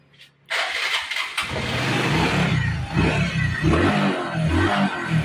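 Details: Honda XRM 125 Fi after fitting full-wave charger and voltmeter (12.6 V off): starter catches quickly, steady even idle without knocks or misses; charging reads 13.6–13.8 V, normal. Normal start and idle.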